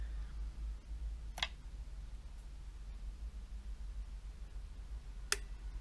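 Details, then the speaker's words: Yamaha amplifier, after its contacts were sprayed with DeoxIT: two crisp single clicks a few seconds apart in a quiet room, the speaker protection relay pulling in normally as the amp comes out of protection. "right now it actually sounds like it's coming out of protection which is good"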